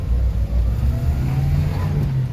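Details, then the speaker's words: Subaru Sambar KS3/KS4 mini truck in four-wheel drive, test drive after carburetor repair for bogging past idle. A deep, even engine drone pulls steadily in first gear with no stumble or bog. Normal acceleration. "ah oh it's running good let's see what happens wow it's looking good guys"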